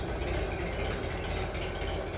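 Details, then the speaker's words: Minneapolis Moline BF tractor after in-frame engine rebuild, fairly warm: steady, even low rumble with no misses, knocks or rattles and a quiet exhaust; normal idle. "Oh, that's nice and quiet. She's just fine."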